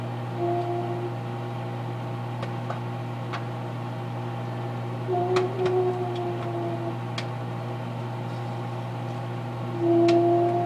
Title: Popcorn in microwave make strange noise